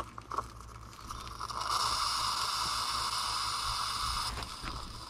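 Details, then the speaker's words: Homeline AC breaker used on a test solar array at about 10 amps DC, switched off under load: a harsh sizzling buzz with a thin high whine as a sustained DC arc burns inside the breaker, which cannot extinguish it and begins turning white. "i don't know if you can hear that but you can hear that dc arcing inside that breaker and you can see the breaker starting to turn white down bottom where it's getting ready to blow out through"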